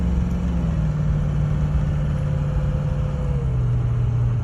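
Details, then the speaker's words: Ford 6.0 diesel truck pulling a light trailer makes a steady, heavy drone that never builds. Boost stays near zero, the truck barely moves and it chugs, caused by a clogged exhaust back pressure tube and sensor, before cleaning. "Now, you can hear how the truck was running, and of course what we're talking about is the exhaust back pressure tube and sensor was clogged. They were both clogged."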